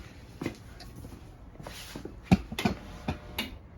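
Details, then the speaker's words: Electric kiln started on a slow firing program, no hold or delay: soft, uneven relay clicks a few times a second in a quiet room as it cycles power through each level's elements; normal operation. "What you're going to hear is this clicking noise. What the clicking noise is that the kiln is cycling through the elements."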